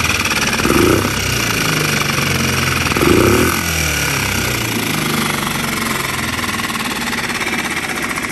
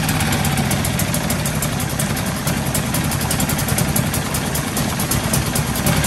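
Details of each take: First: New Hangkai 6.5 hp four-stroke outboard in water barrel, after unscrewing the over-set idle speed screw: quick even chuffing, no misses, briefly cut then restarted; settled healthy idle. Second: New Hangkai 6.5 hp four-stroke outboard, first start in water barrel after priming and choke: fast steady buzz well above normal idle; idle speed screw pushed too far in from factory, later unscrewed; high idle speed.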